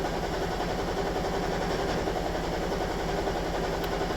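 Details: Toyota Estima Hybrid 2AZ-FXE 2.4L, shaking after oil top-up of about 4.5 litres: idling with an uneven, lumpy beat and irregular stumbles; random multi-cylinder misfire, cylinder one detected.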